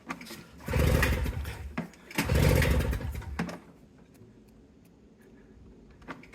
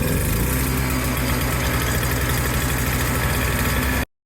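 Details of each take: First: An old Toro CCR200E snowblower on its first start with choke after its brittle fuel lines and carburetor were replaced from a kit. It catches after a few pulls, runs loud, then wavers, sags and dies. The owner suspects the carburetor bowl hasn't filled with fuel yet. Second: Old Toro CCR200E snowblower after brittle fuel lines and carb were replaced from a kit: a steady, even low putter without stumbling or surging before cutting out briefly; the small engine now runs healthy.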